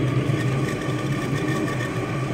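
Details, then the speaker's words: Trane/American Standard 4YCC gas pack, combustion blower sounds horrible: rough churning low drone with coarse rattly hum as condensate spins with the blower wheel in the housing, preventing vacuum; same condensation issue as recalled 4YCY units. "and now if you hear the combustion blower it actually sounds pretty horrible"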